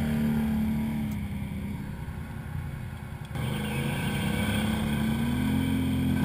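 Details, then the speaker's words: BRP Outlander ATV with a CVTech clutch setup but the stock BRP belt, labouring in heavy muskeg: a thin, high chirp or squeal comes and goes over the engine drone; the stock CVT belt is slipping under heavy load. "So if you watch through the video here, you'll notice it squeal or chirp once in a while when I'm running in this heavy muskeg."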